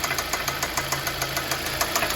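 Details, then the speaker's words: 2014 Hyundai Sonata 2.4 found with only 3 of 5 quarts of oil, from a leak or burning: fast, even ticking of about seven per second over a rough idle with a duller knock beneath; owner suspects lifter noise plus rod knock. "okay guys I'm going to show you what I think is the knocking noise and the clicking or ticking noise uh of the lifters"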